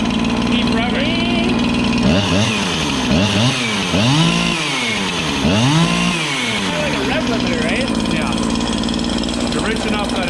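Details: Husqvarna 365 chainsaw with a new piston and cylinder, wide-open throttle with no load: screams, then breaks into a burbling, blubbery warble as revs peak. Rich four-stroking, a safe tune.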